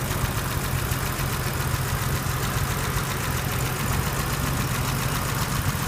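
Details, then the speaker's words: 1983 BMW 635CSI straight-six (manual transmission), original engine, warm idle; smooth, even idle with a steady low hum and no misses, hunting or knocks. Healthy. "just a quick video to um show the engine on the 1983 635 CSI so you can hear it running and have a look at the temperature gauge and have a listen to it and see what it looks like under the bonnet"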